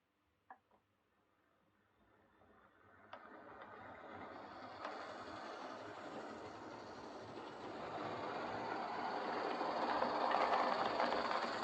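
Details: Old Lima Class 31 model locomotive in freight livery after overhaul with an extra pickup added on the front bogie, running on the layout: soft, even motor whir at consistent speed, no stutter or pickup issues; normal running.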